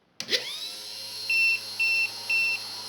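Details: Restored, cleaned U.S. Army DM-36-D dynamotor on 28 V via Variac, output about 230 V: steady high whine, even, no rubbing or grinding, three short beeps over it; running smoothly, normal.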